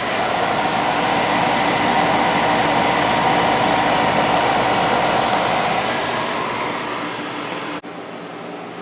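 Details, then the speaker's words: Idylis 12,000 BTU portable air conditioner in basement, low fan, 7.3 A and 767 W: steady rushing fan over even compressor hum, no rattles; head pressure built, running normally. "I think this one is all good to go. It seems to have built head pressure completely, or at least as much as it's going to get in this basement."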